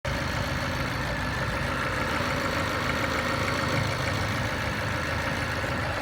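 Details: Mazda 323F (BA): steady petrol idle with a faint, loosely regular tapping, roughly two a second, over it; engine knock of unknown origin.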